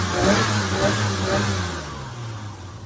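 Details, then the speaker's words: Holden VL with RB30 inline-six revs cleanly and settles evenly with no stumble or popping after cleaning the airflow meter with contact cleaner and carby cleaner down the throat; previous bad misfire now gone. "Ben's come around, dropped off a whole range of CRC products, and I actually just finished using the no contact cleaner to clean the airflow meter and a bit of carby clean straight down the throat of my RB30, and now no more misfire."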